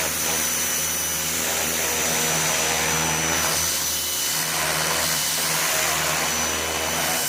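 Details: New Ryobi 2000 psi electric pressure washer with jet nozzle, cleaning a smoke-stained wall: steady, even motor hum with high thin tone and hissing spray, constant pressure; normal operation.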